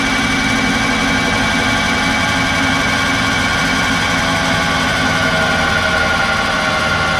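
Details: GM Ecotec engine in a Baja Bug, first start-up prep with coil pack off and spark plugs out, cranking on lithium batteries to build oil pressure: steady, fast whirring crank with no firing or compression bumps; healthy cranking.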